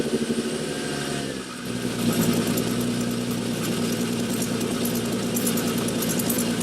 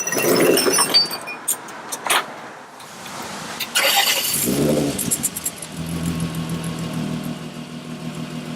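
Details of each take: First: 2003 Winnebago Rialta motorhome engine idling with a fast, uneven ticking puff over the exhaust note; exhaust leak at the failed front coupling by the catalytic converter, coupler to be replaced. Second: 2003 Winnebago Rialta engine cranking, catching and settling into a steady, even idle with no exhaust puffing, after an exhaust leak was repaired.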